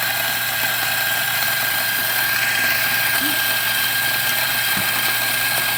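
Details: Macap M4 espresso grinder after repair: it had stopped grinding because it was clogged, was cleaned inside and out, and had its broken worm knobs replaced. Now a steady, even whirring grind with high hiss and no stalling; normal grinding.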